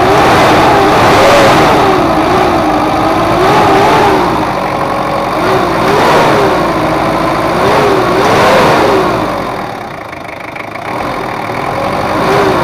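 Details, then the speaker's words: Ford Ranger 2.5 diesel double cab after repair of post-overhaul compression leak, power drop, oil seepage and odd noise, adjusted and road-tested: climbs and drops cleanly through several rev sweeps with no knock, miss or rattle. Normal revving. "udah kita setting dan gak ada bocor dan untuk mesinnya udah normal kebocoran pun gak ada udah kita coba jalan-jalan ternyata aman dan enak udah tarikannya"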